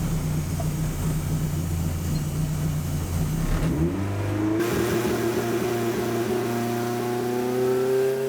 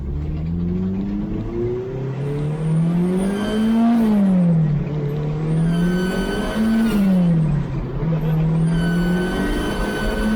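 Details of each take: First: K20 turbo Ford Escort loaded with launch control after tightening a boost pipe/V-band joint that had caused a buzzing boost leak: revs climb smoothly with a clean rising tone and no buzz or hiss. Boost now holding. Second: K20 turbo Ford Escort on Max ECU: engine pulls hard with a nasal, buzzy edge riding the boost, rising and falling with throttle; owner suspects a boost leak at the V-band or boost pipe joints, not confirmed.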